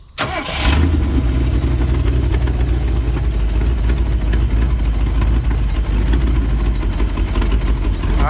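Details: 1970 Ford Mustang V8, sitting abandoned for many years, first run after a couple of throttle pats: catches after brief crank and settles into a deep steady rumble that holds even; starts and runs fine.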